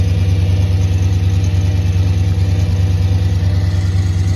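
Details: Audi S8 D3 5.2 V10 on cold start: steady quick tick a bit over two per second over the deep V10 burble, gone once warm; suspected exhaust leak, not confirmed.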